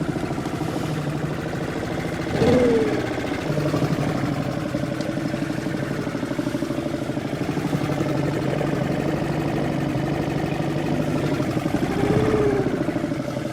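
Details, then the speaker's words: Suzuki 2.5 outboard on a boat after its carburettor was cleaned ultrasonically to fix idle problems, manoeuvring to moor; owner feels the idle could be set even lower: a steady, even low idle under water and handling noise, no misfire, a normal idle. "I could do with perhaps lowering the idle even more you know that's something that could do"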